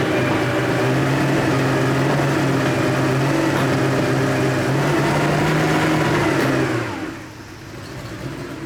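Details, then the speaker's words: 1987 Porsche 911 Carrera 3.2 on a test stand, first start after sitting for years: fast, uneven running with irregular exhaust pops before cutting out, smelling of unburnt fuel; a damaged, misgapped flywheel speed sensor is upsetting the ignition timing. "just getting a lot of popping out the exhaust which I think is unburnt fuel just smells like gas in here it's really popping"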